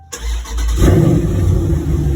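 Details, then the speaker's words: Dodge Charger with swapped 392 Scat Pack V8, start-up after replacing exhaust valve actuators (one valve had stuck open, one closed, causing rattle): brief crank, then deep, even exhaust rumble with no rattle; normal. "Hear that thing? Sound way better. No weird noises, no none of that shit."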